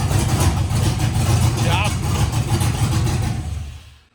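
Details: LS-swapped Nissan D21 Hardbody, after swapping mixed-up unlabeled cam/MAP sensor connectors: deep, fairly even V8 rumble holding steady a few seconds before shutoff, no misfire; running properly.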